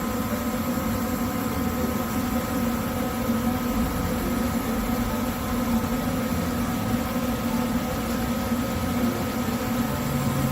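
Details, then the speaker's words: Furnace blower motor after it was reset and reinstalled to cure earlier grinding: steady, even whoosh with no grinding or scraping, problem fixed. "So here, no grinding. So I think we fixed the problem."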